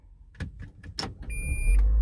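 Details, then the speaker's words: 2015 Toyota Prius after the continuous reverse beep was disabled: one short high beep on shifting into reverse, then only the car's low hum; the reverse chime now sounds just once. "there just beeps once now usually it'll keep beeping and it's just so annoying"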